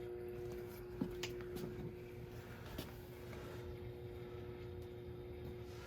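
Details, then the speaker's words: Burnham gas boiler with no heat: steady circulator hum with thermostat relay clicks, zone valve open and vent damper open on automatic, but burner not firing. "The vent damper is on automatic operation. It is open, but I hear something. Do I hear the circulator? Yeah."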